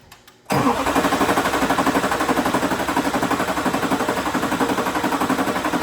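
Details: Duramax LLY diesel truck after swapping in eBay injectors, fuel system being hand-primed between attempts; starter churns steadily at about four beats a second without catching; cranks but won't start.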